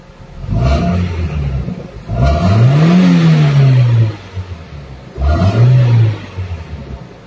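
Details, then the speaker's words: Toyota Corolla Big Body GLI after ECT sensor fix for failed cold start, hard starting and misfire: three quick throttle blips, revs climb cleanly and fall straight back to idle without stumbling or misfiring; healthy revving. "Ganyan na siya kaganda ngayon. Try natin apakan yung gas. Ayan."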